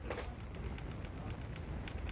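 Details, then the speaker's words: High-powered car, wheel rocked by hand: light, sharp clicks about six or seven a second as the drivetrain clicks before moving, from a worn CV axle with too much play. "you can hear just me doing like that you can hear the drivetrain clicking before it actually moves"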